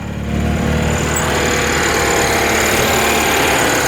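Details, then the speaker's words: 1964 Citroen 2CV Charleston clone, 435 cc twin, just started with the choke pulled: busy, even buzz held at a raised steady speed, running fast before the choke is pushed in; fast idle on choke. "okay he's running pretty pretty fast so we're put choke in"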